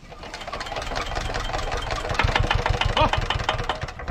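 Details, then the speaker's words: 1970s Hatz diesel compactor roller being started with ether: quick uneven chuffs and knocks, about three a second, almost catching but not staying running. Hard starting. "like this is embarrassing why is this so difficult i used to start these things all the time"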